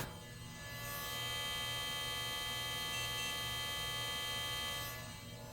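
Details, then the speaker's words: 1993 Compaq LTE Lite 4/25E laptop, floppy drive not previously tested: a loud high whirr winds up, holds and dies with no seek clicks. The drive appears to spin freely without seeking. "It's trying to load but that sounds like it's just spinning freely and not actually seeking around."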